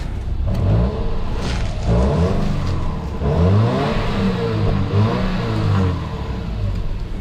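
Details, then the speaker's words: Auction car with low fuel, a big muffler, an oily smell and noisy power steering, with a belt problem suspected. The idle keeps swelling and sagging and stumbling instead of holding steady; cause unclear. "we've got low fuel power steering's a bit noisy Idol's a bit all over the place"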